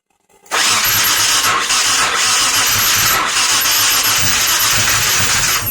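Starter spins steadily and quickly for several seconds, but the engine never catches or fires: a crank, no-start condition.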